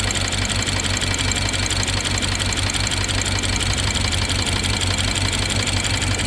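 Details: BMW 750Li with N63 V8 at idle after replacing the fuel injectors and high-pressure fuel pump. A light, fast tick rides over an idle that stumbles with misfires; the owner wonders if it is the timing chain, unconfirmed.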